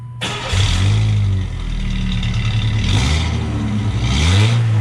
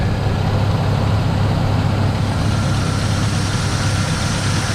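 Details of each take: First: Truck startup after the muffler replacement, cat already removed; owner thinks it may be overheating. Deep, even exhaust note swelling cleanly through revs with no ticking or leak puffs; sounds much better. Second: Car with a DIY cold air intake just installed, no air filter yet fitted: a steady idle with a louder, hollow intake rush and a slight howl.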